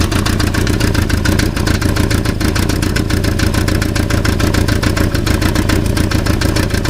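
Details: German Volkswagen Passat at idle with a fast, uneven metallic rattle that sounds like it comes from the engine; the cause is a loose catalytic converter.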